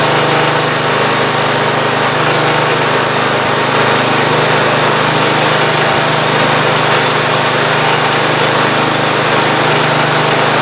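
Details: Free Ariens GT14 garden tractor after belts refitted and new hydraulic hose, fluid topped off: small single-cylinder engine holds steady even drone, no knocks or belt squeal; normal running.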